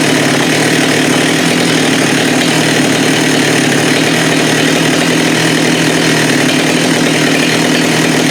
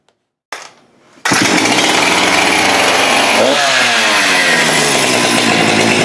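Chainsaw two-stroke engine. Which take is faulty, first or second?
second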